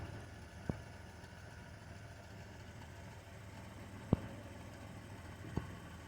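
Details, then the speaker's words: 1991 Chrysler New Yorker Fifth Avenue, revived after sitting almost 20 years: faint, low, even hum with a few stray clicks, no knocks or misses; normal idle. "I don't know if you can hear it running but it is"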